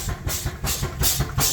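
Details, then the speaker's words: Steam engine driving an alternator charging a 36 V lithium iron phosphate battery at about 30 A, first work in a long time: steady chuffing beat under heavy load with steam hissing each stroke; packing blown out and leaking, to be fixed before next run. "Got a little leak there. It's first time this engine's done any work in a long time. We definitely need to deal with that packing."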